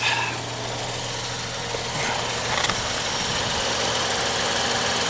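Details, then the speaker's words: Normal idle of a 2014 Ford Escape SE 1.6 L EcoBoost, just started after its oil change. Oil pressure light is off. Smooth, even idle with a steady low hum and no knocks or ticks. "okay oil pressure light is off sounds good"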